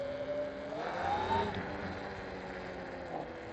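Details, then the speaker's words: Electric motorbike riding on power level 3 (8 kW) after a brake bleed and squeal fix, braking with the rear disc only: a soft motor whir and tyre noise, with no squeal or scraping from the rear brake. "Ich kann bremsen und es quietscht nichts. Ja, hier ist auf Hinterrad, ne? Es quietscht nichts."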